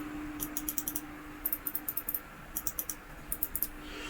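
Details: SCUF Reflex controller, R1/R2/L1/L2 shoulder buttons repaired after mouse-click switches failed, tested the next day once glue dried; crisp sharp clicks in bursts of four or five, each clean and positive; buttons work properly.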